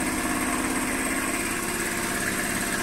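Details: Air compressor on a Vevor 5500W (EM 5500-48L) inverter from battery only, alongside a fryer of about 560 W: steady, even chug at about 3.5 beats per second with constant motor hum; running smoothly under load.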